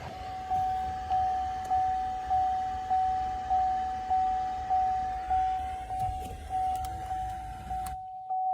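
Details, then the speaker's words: 2014 Camaro SS 6.2 L V8 after blend door replacement, HVAC actuator learn running with ignition on: steady mid-pitched electric hum pulsing evenly about every half second as the actuator turns through its travel; sounds normal. "Let's see what it does. And I can hear the actuator turning."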